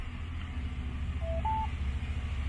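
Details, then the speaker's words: VW Fusca Itamar with newly installed ODG instrument panel, key-on self-test: two short beeps, the second slightly higher, over a low steady rumble; likely from an add-on module or other instrument, not the new gauges. "agora eu vou virar a chave todos os instrumentos farão Auto teste"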